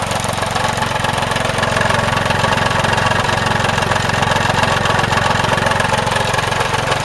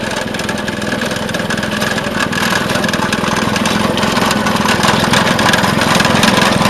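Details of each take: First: Vintage Craftsman 18" snowblower, rebuilt 3.5 hp Briggs single-cylinder, just cold-started with starting fluid: running fast and steady with a light, slightly uneven beat; owner says the carb mixture needs adjusting. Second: Vintage Craftsman 18" snowblower, rebuilt 3.5 hp Briggs single-cylinder, after carb fine-tuning: steady, even beat about three and a half per second, no surging or stumbling; running healthy.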